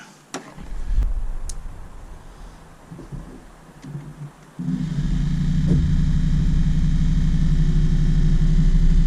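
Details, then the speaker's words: Excursion/Bison 24V 86lb-thrust trolling motor, fully reassembled and saltwater-sealed after brush holder replacement, run flat out: a few knocks, then a loud, even, low drone with no roughness; normal full-speed running. "All good. Flat out. Perfect."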